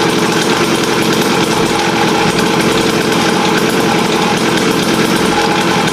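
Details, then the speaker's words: Raptor 87 two-stroke pocketbike after canister silencing mod (drilled tube, steel wool, extra silencer): steady fast buzz at fixed speed, even with no misfire; sound reduced, not painful to the ears, normal running. "pero so far Okay naman yung tunog niya ah nabawasan siya Hindi na siya Masakit sa tinga"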